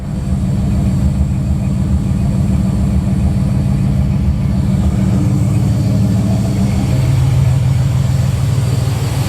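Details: 1986 Buick Regal G-body, 455 big block with Holley EFI, just started after intake gasket replacement with good oil and fuel pressure: deep, steady V8 idle rumble, even pulses, no ticking, misses or hunting; healthy idle.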